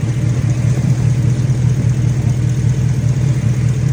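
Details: 2011 Ford Raptor V8, hot, after replacing a JB-Welded leaking radiator hose and bleeding the cooling system (overheating had been blamed on a head gasket), no more coolant leaks: steady, even low rumble, no misses, ticks or hiss; smooth, healthy idle.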